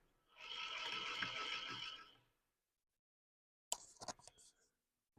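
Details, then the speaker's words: Rotax 582UL rebuilt crankshaft, about 5 hours, cheap steel-cage aftermarket main bearing, crank turned by hand with mic on the stand: gritty rough rasping for about two seconds then clicks; worn noisy main bearing, crank runout out of spec. "Okay, so that's what you get with a cheap steel cage bearing. You know, this thing apparently has got 5 hours on it."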